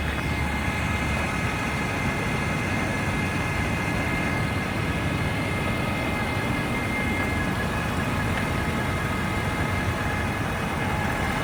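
Diesel idling with a thin, steady high-pitched whine riding over the clatter at constant revs; whine present, cause unknown.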